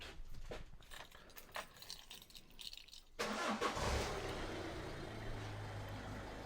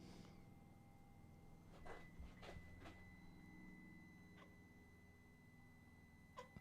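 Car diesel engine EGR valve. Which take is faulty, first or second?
second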